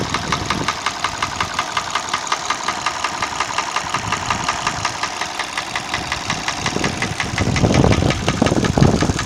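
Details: Hyundai ix35 petrol engine at idle: regular tapping about three a second keeping time with the idle over a steady hum; internal engine knock, source unknown.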